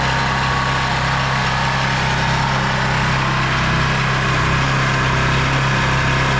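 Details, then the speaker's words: ETQ 4000-watt portable generator with a cheap carb: starts first pull on choke and runs a steady, even single-cylinder drone at full RPM under the governor, with no hunting or surging while making power; normal running. "yeah that's perfect you know first pull with choke and no surging making power"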